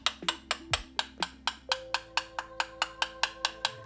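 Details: Carbon bike frame tube after DIY crack repair with carbon repair kit, no compression left: crisp, bright, even coin ticks about four per second with no dull or buzzy taps; repaired tube sounds solid throughout.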